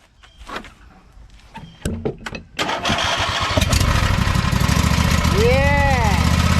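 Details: John Deere lawn tractor after flux-core arc welding to fill holes and seams in the muffler: after a few cranking tries the small engine catches and runs with a steady, even putter, no ticking or puffing from exhaust leaks.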